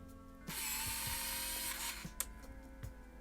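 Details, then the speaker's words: Yashica Microtec Zoom 90 (Kyocera Lynx 90) 35mm point-and-shoot: thin buzzing motor whirr for about 1.5 seconds as lens powers zooming in; slightly noisy and slow but normal. "now as you can hear is slightly noisy when you zoom in and the zoom is a little slow for most people these days"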